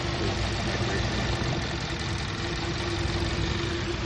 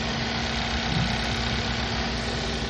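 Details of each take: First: Car with check engine light, warm idle after code cleared and restart: uneven loping beat with occasional stumble and rough running; rescan shows misfire on cylinder 2, traced to the spark plug, before plug replacement. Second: Car idling after misfire repair: even steady hum, no stumble or shake; live data shows no misfires, earlier rough vibration gone.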